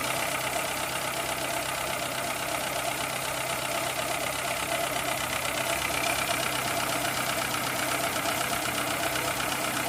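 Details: 2003 Citroën C3 petrol engine, bought four months earlier, that neither overheats nor uses oil, idling with a light tick of two to three a second; possibly valve clearance, unconfirmed.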